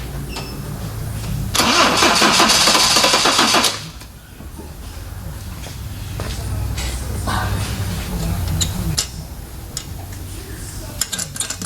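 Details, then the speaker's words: 1980 Toyota Corona Wagon, 20R 2.2L four-cylinder carbureted, revived after sitting for years; fuel pump had a doubled spacer/gasket replaced. Starter cranks the engine rhythmically for a couple of seconds without catching, then stops; crank, no start on first try. "better than to think it would start on the first try but I was being an optimist"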